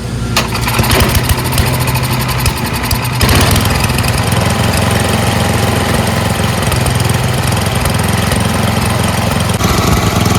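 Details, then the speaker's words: Yard Machines MTD 824 snowblower, 8hp Tecumseh Snow King single-cylinder, after cleaning the pilot jet, adding Seafoam, adjusting idle screw and governor linkage: steady, even low chugging idle with no hunting or misses. "dialed in the idle Jet screw uh the idle screw so that it idles well"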